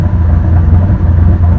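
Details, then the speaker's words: Engine idling during first-start idle tuning after a Stinger Performance Pimp XS install; setting 38.5, AFR about 14.3–14.6. Deep, steady low rumble at constant speed without stumbles or surging; smooth idle, with the throttle screw to be backed off for about 850 rpm. "probably going to back the throttle screw off a little bit just to bring those rpms down to about 850 but i'm pretty happy so far with where we're at"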